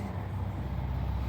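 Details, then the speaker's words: Old LG fully automatic washing machine that washes fine but on spin only makes a sound: steady low hum with no spin-up as the drum never turns; spin motor hums but does not turn, brake suspected. "Customer का कहना है कि इसमें सिर्फ wash तो करता है लेकिन स्पिन करते टाइम सिर्फ आवाज आता है लेकिन मोटर चलता नहीं है"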